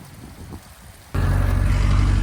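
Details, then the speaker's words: Johnson 60 hp outboard on a Carolina Skiff after a new, relocated marine battery: a quiet stretch, then it catches and settles into a steady, even low throb with regular firing pulses. It is running cleanly. "We got the new battery, engine's running. Just gonna let that run for a little bit, make sure it's all good to go."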